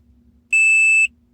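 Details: Bobcat skid steer loader with a no-crank, no-start, no-lights fault: one clean high-pitched beep of about half a second at key-on shows power is back; corroded terminals raising resistance suspected as cause.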